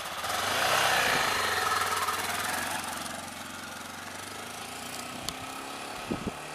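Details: 1999 Honda XR600R single, a barn find revived and made street legal, running on its stock muffler; muffled, even thump that picks up cleanly when the throttle opens and settles back without misses or rattles. Normal running.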